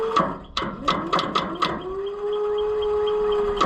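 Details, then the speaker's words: Oliver 1355 tractor starter after battery was recharged: series of short clunks then a steady low whine, starter engages but fails to turn the engine; owner suspects not enough current reaching the starter, cause unconfirmed. "Doesn't sound like we're getting enough juice. And that's what I thought last time."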